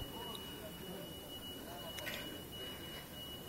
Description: What is more annoying than a smoke alarm ringing in the middle of the night ?